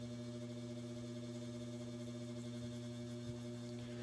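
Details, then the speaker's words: Westinghouse AT12-1 12-inch oscillating table fan, late 1960s/early 70s, two-speed shaded-pole motor, stationary on low: steady low buzz with strong mains-rate drone; noticeably buzzy, run long unoiled, bearings likely worn. "Motor's quite a bit buzzy. It definitely shows its age."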